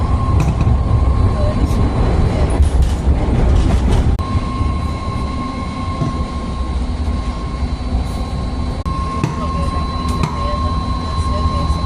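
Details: BART car 3078 running toward West Oakland: a steady high squeal over the train rumble with scattered creaking; a wheel or body squeal of unknown cause.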